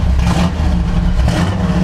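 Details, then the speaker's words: C/10 truck V8, already warm, after carburetor tuning and with the vacuum advance removed, one side still slightly rich: deep, steady burble at a raised idle with an even beat and no misses; the idle picked up and sounds better, a normal idle. "But see, now the idle picked up, sounds a little bit better now."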